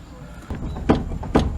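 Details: 1997 Fiat Uno Mille: two sharp, hollow clunks as the steering is worked by hand, a toc-toc knock felt through the steering and heard from inside the steering box.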